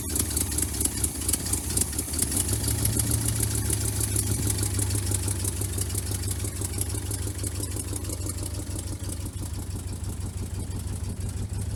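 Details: Vintage C30 RV V8 after replacing bad exhaust manifold gaskets: low, lumpy idle with an uneven beat and irregular pulses that never settles; still idling rough.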